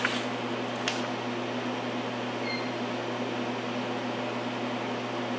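Steady, even hum and hiss with no knocks or surging; the vacuum pumps are running normally.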